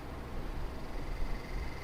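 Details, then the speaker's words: 1990s Lakewood T-99 twin window fan on low speed before restoration: soft uneven low rumble and faint steady whine from a dry bearing needing oil, probably in the left fan, though hard to tell which. "so you can really hear that dry bearing I think it's coming from the left fan"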